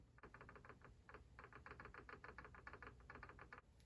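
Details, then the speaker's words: RC car drivetrain after setting gear mesh, checked with the flick-and-click method: the spur is flicked with an Allen wrench while the pinion is held. Light free rattle with no binding shows normal backlash; the pinion is not jammed into the spur. "hopefully you can hear that it's loose it's not loose it's just it's got that slight rattle in the in the uh spur gear that i want that tells me i haven't jammed the pinion into the spur"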